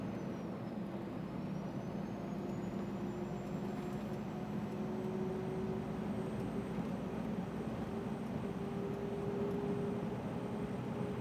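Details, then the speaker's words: Scania R400 Streamline truck driving at about 90 km/h: a high, thin turbo whistle climbs and holds as revs rise from 1,200 to 1,300 rpm over road rumble; loud, annoying turbocharger whine. "Olha o som da turbina, ó. Pra vocês terem uma ideia, tô a 1.200 giros só."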